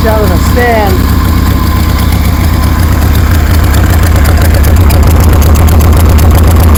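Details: 1973 Harley Sportster V-twin with CV40 carbs installed; deep, even lope around 230 beats a minute, steady with no misses or knocks, sounds good.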